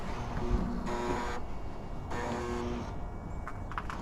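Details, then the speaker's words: Porsche convertible with battery showing no charge, during restart attempts: repeating electronic beep about every 1.25 seconds over quiet background, just before the rear window starts rolling down; cause of warning beeping unexplained. "And this noise troubles me. What is that beeping noise?"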